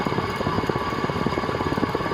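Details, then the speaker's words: 1979 SMC M48 metal-blade ceiling fan running: quick, uneven clicking and clunking over the motor hum; bearings very bad, likely from dirt, gunk or rust, contact cleaner and oil did not help and WD-40 made it worse; bearings to be replaced. "you can hear that clicking and clunking probably which is the it's due to the dirt and gunk or rust or whatever that's in the bearings"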